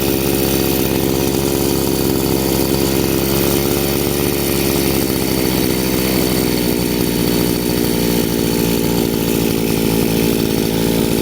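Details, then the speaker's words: Chinese two-stroke brushcutter after carburetor adjustment with the screw set correctly: revs rise a little and stabilize into an even, high buzzing note with no surging or dropping, showing normal running. "The revs have risen a little and stabilized. Everything is perfect, show work."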